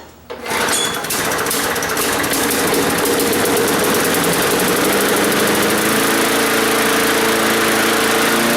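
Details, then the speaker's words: Lawn mower engine that hadn't run in unknown time, first start after priming a bone-dry carburetor. Catches within a second, then settles into an even, steady single-cylinder buzz with no popping or misses. Normal running, smooth healthy motor. "that's pretty good sounded real good actually that is a good running motor nice and smooth no popping in all that good stuff"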